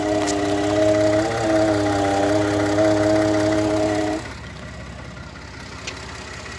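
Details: 2013 Ford F-150 EcoBoost in park at idle: steady idle drone with an even buzzing rattle that then cuts out; dealer couldn't duplicate it, and there is also vibration between gears when shifting; cause not pinned down.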